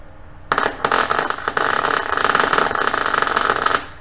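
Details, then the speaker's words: New Chinese eBay MIG 250 welder with wire speed turned down to about 100 and voltage turned all the way up; about three seconds of harsh, uneven arc crackle with irregular pops instead of a smooth sizzle. Not enough wire speed; fix is raising it back to 135. "yeah you can hear that sign enough wire speed go back up to 135"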